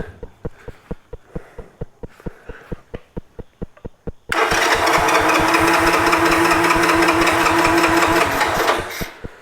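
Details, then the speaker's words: 1986 Honda TRX 125 ATV, contaminated carburetor, cranking: even pulses about three per second, catches and runs briefly then fades; not drawing fuel from the float bowl. "It's just some pretty disgusting stuff. It's not picking up out of the float bowl."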